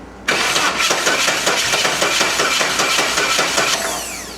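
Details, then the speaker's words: 1988 Saab 900 Turbo after fuel, injector power and spark restored: starter spins quicker then drags slower with no catch; uneven cranking speed, owner suspects a weak battery and swaps in a second one. "See how it's fast and then it's slow."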